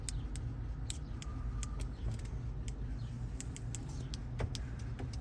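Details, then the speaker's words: Honda CR-V door locks clicking crisply as they lock and unlock on command with newly programmed key fob, after programming two fobs for push-button start; lock actuators working normally. "You can hear it unlocking. And lock. Lock. Unlock. It unlocked."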